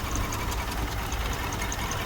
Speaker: When you have an engine that is vibrating and shaking violently like this, it shows that something is wrong.